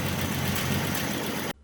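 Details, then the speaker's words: 1967 Ford Mustang 200 cu in inline six, first run in about 20 years after a new fuel filter, coil and plug wires: steady, even low idle rumble, no knock or miss, before it cuts off; normal idle. "She's just running. You just can't kill these old inline sixes. They're just damn good motors."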